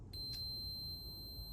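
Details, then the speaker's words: 1982 Honda CT110 (stock 6-volt system) rear brake light switch on multimeter continuity: no tone at first, then a clean, steady high tone once the plunger is pulled; switch closes properly and is not the brake light fault. "Okay, and I'm getting no tone. I'm going to pull on the plunger. Good solid tone."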